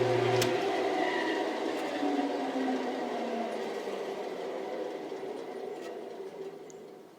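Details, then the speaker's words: 1948 Delta Milwaukee 14-inch bandsaw: smooth whir falling steadily in pitch as it coasts down, quieter than before, with a faint extra high harmonic and no blade flutter; normal, healthy run-down. "And you can also hear that it's quieter. There's just an extra high harmonic in there."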